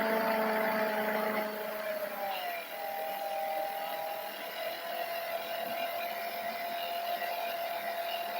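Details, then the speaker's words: Old laptop cooling fan whining loudly at a single fixed speed without ramping up or down, stuck; owner says it used to be even louder and has varied over the years. "And no, that's not it spinning the fan up and down. That's a singular speed. It just gets stuck."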